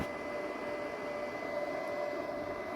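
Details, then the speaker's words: Flea-market Xbox 360 Xenon launch console dated October 30, 2005, running: a steady high-speed fan roar with a constant whine that never settles; the cooling fans are very loud. "Damn, it's loud."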